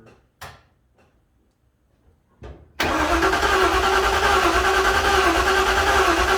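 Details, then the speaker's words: 1956 Ford F-100 on a makeshift ECU hookup, cranked slowly to build oil pressure and not yet meant to fire: a few sharp clicks, then a steady, strong starter whirr. Normal cranking; the starter works and oil pressure comes up. "But that's good, I'm happy, at least the starter's working. I hate to crank on these for a real long time. Ruin the starter and the solenoid, so I'm gonna just do this real slow."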